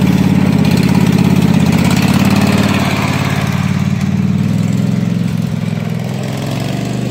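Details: Husqvarna mud mower, 18hp Kawasaki V-twin, after being submerged in a pond about 5 minutes, with water in the oil, float bowl drained and fresh gas with Sea Foam: fired right up and runs a steady, even low chug with no stumbles or surging.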